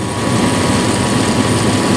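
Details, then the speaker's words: 1996 Dodge Dakota 3.9L V6 idling at operating temperature, about 110° radiator air at the thermal valve: a loud steady air roar that never eases; aftermarket fan clutch stuck locked, too loud too long. "it shouldn't be that loud it shouldn't stay locked that long"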